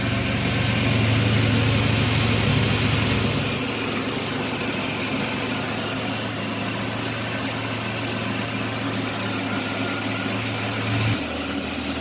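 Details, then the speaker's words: 1989 Chevrolet Celebrity 2.8 V6, 173,000 miles: uneven, lumpy idle with wavering low hum, about four beats per second; code 44 lean condition, vacuum hoses look fine, cause unknown. "kind of running rough not sure what's going on here I did get a code I've checked it code 44 which means oxygen sensor detected running lean condition"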